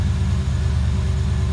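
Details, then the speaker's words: 5.0 Fox Body Mustang after ECU repair: deep, even cold idle with a steady low pulse, held without throttle and slowly lowering. Before the repair it would have stalled. Healthy cold idle. "i didn't touch the gas at all that's encouraging so it's got uh cold idle now"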